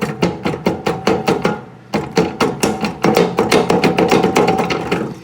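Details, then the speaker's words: Ariens snowblower, believed early-to-mid 1990s, engine off: quick run of hollow wooden clunks about three a second as the belt is tensioned, from a worn auger bearing. "That is the auger bearing. I just replaced one of those on my father's snowblower, and his was from 1983."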